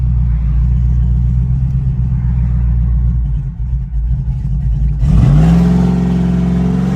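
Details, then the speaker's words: Cammed LS Tahoe, no muffler, 0-60 full-throttle pull after misfire repair: steady low burble then revs climb smoothly and evenly, no stumble or miss; previous struggle under throttle appears fixed. "All right, we fixed it. She's running top. She's running really good."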